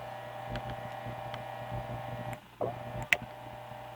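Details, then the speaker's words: GE 78X233 fan motor after cleaning, re-greasing, oiling and rewiring, 118 V drawing 1 A on high then about 780 mA on medium: quiet constant mains hum with handling clicks, no rubbing or rattle; normal running. "it's running all right now we're at about a a little higher and we go 118 volts and we're drawing one amp on high"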